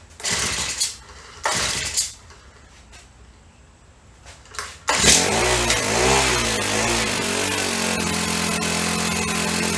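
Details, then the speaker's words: Honda FG100 four-stroke mini tiller, back together after repair (it previously had no valve), just started on choke after priming: the engine catches after a few pulls but runs unevenly, hunting and faltering at low speed, and won't idle by itself. "so doesn't want to idle by itself let me turn the idle up a little bit see if that helps"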